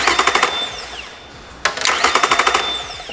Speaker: you that beeping noise yeah that's the sound that it will make other that also tells me that the landard is not in and we're not going to start